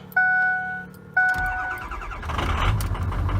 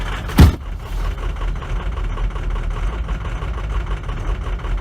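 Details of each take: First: Ford F350 6.0L Powerstroke diesel after replacement with Ford reman injectors, cold start at −20°C, plugged in overnight, batteries fully charged: two dash chimes, brief crank, catches at once and runs evenly; normal cold start. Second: Ford F350 6.0L Powerstroke diesel, cold start at -22 °C with weak batteries, before injector replacement; hard to start, low uneven rumble surging and sagging, dies when pedal released: rough idle from worn injectors, fixed by Ford reman injectors.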